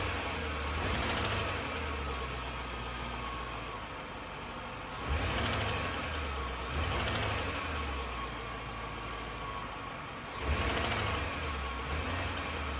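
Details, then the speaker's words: 2002 Chevrolet Suburban 5.3 LM7 V8 idling: light, uneven top-end ticking with a few louder bursts, traced to the fourth valve from the front; once removed, no obvious fault found and pushrods not worn, so the cause remains unconfirmed. "it was very obvious that this valve the fourth one from the front was uh the one that was causing the um the bad noise"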